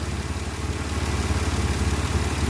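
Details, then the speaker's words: 2006 Pontiac Grand Prix 3.8L V6 after head gasket replacement, just started with coolant circulating: steady smooth idle, no rocking or misfire as before (blown head gasket suspected earlier); normal idle. "Engine sounds good. It's running nice. It's really smooth."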